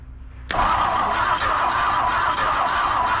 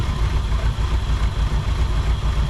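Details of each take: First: 1959 Ford Thunderbird 352 V8 parked 33 years, freed engine cranked off hot wire with gas in carburetor: starter whirrs with even compression beats about twice a second but never catches; no spark, coil to be tested. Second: 1959 Ford Thunderbird 352 V8 after 33 years parked, started right up: deep steady rumble, even firing, no knocks or ticks; accelerator pump likely not working and carburetor needs cleaning and rebuild.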